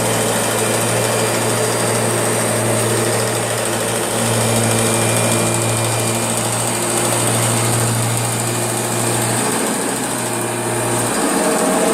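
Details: Kirby G6 vacuum running: steady high motor whine with low hum and faint rattly edge underneath; abnormal noise, cause unclear.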